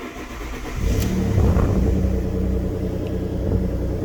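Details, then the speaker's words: Alfa Romeo Busso engine at 88,000 miles, cold start: it cranks, catches, flares up and settles to an even steady idle with no knocks or rattles; sounds okay. "Sounds okay."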